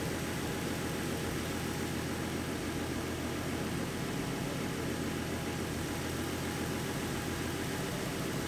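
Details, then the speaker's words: 2014 Ford Mustang 3.7 V6 after replacing the water pump with the new-design version: smooth, even idle with a steady low hum and no knocking or grinding; the new pump cured the earlier knocking and grinding noise. "sounds healthy it sounds better than it did before so yeah guys the water pump did get rid of the noise"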